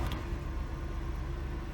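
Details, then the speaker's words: 1997 Oldsmobile Aurora Northstar V8 at idle, fired right up, no check engine lights, temperature stays just under 200; steady, even low rumble with no knocks, misses or squeals; idles smoothly and healthy. "fired right up go check engine lights of any kind and it does not overheat I promise you it always stays just shy of 200 where it's supposed to be"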